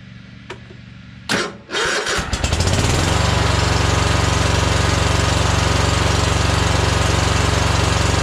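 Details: Troy-Bilt Horse twin-cylinder mower with no power, one spark plug wire pulled off; sounds exactly the same, steady even thump near four beats a second as if one cylinder firing; owner suspects internal damage; running on one cylinder.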